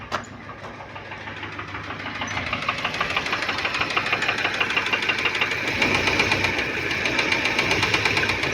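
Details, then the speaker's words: Fiat Siena with oil warning light staying on and little power: sharp, regular knocking about three times a second from the front of the engine, building as it runs; engine knock from low oil pressure. "Então, alguma coisa tem de errado aí com o motor, ó, tá ligado, né? Só que tá batendo lá na frente [Aplausos] bastante."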